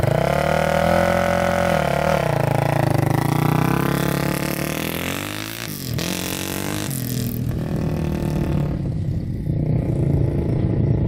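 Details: 2006 Polaris Outlaw 525 quad, gauge at 96°F; strong clean revving climbing and falling smoothly with throttle, no misses or mechanical clatter, plenty of power. Healthy running engine.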